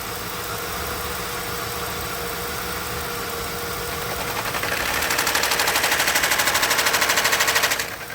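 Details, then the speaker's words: Lincoln Town Car at idle: a loud, fast, even flutter swells in for about three seconds, then cuts out, stopping and starting about every 30 seconds; the electric cooling fan is failing. "oh wait a minute it's the fan it's the fan I just saw it I could see it stopping and starting the fans going bad the cooling fan"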